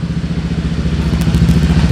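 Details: Motorbike CVT after repair of a klotok-klotok knock and idle/throttle vibration; now crisp, regular exhaust pulses about a dozen a second, no clunking or knocking from the drive, only exhaust heard; normal running.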